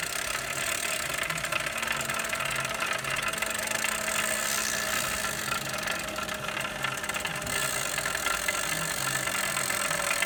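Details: Hammer (Saris) H2 turbo trainer after only 6 months of use: a loose internal rattle repeating about twice a second over a steady hum; something inside has worked loose.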